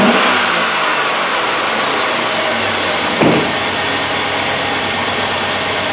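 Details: 2007 Chevrolet Suburban 5.3L V8 with a whole bank 1 misfire from coil control circuit faults, idling with the coil ground jumpered to a ground strap: steady, even idle with one brief bump, all eight cylinders firing.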